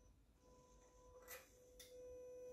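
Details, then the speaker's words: Viking 195T turbo engine for a Velocity SE, throttle worked by a potentiometer knob through the throttle controller: thin, steady electric hum with soft whirring bursts as the turbo wastegate servo moves with throttle; normal servo operation. "so interestingly the that noise that you hear that's just the servo for the uh the wastegate on the turbo it just it just moves with throttle"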